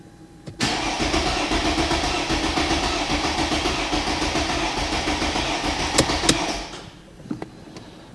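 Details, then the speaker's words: Mercedes ML350 with a freshly installed replacement engine, oil and coolant in, codes cleared, fuel system and injectors bone dry: starter cranks steadily and fast for about six seconds without catching. No start because fuel pressure is not yet built up. "No, I don't expect it to start for a bit because it's going to have to get fuel pressure back up. Or some fuel at least, because it's been bone dry."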